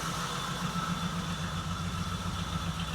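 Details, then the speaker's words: 1979 Jeep CJ-5 running for the first time in 29 years; low, even idle thrum about 220 pulses a minute, no ticking, knocks or misses, with a faint hiss from a vacuum leak; normal idle. "First time in 29 years. Let's try it. We got Let's try it again. Oh, yeah. Yes. No ticking. I don't even hear any ticking."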